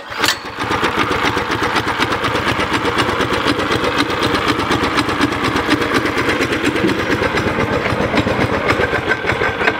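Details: Homemade go-kart small single-cylinder engine, governor removed, upgraded intake, exhaust and bigger carb jet to fix lean sputtering: starts and holds a quick, steady buzz with no sputtering or surging; fix worked.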